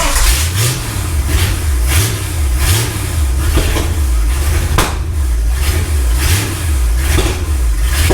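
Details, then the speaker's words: Ford Galaxie 500 V8 on first start after restoration, third attempt after belt tightened, firing order and timing checked; lumpy surging idle with sharp pops about every second; suspected excess fuel, leaking carburetor or high floats, unconfirmed: backfiring, rough running. "I don't know exactly it's it sounded like it had fuel excess fuel"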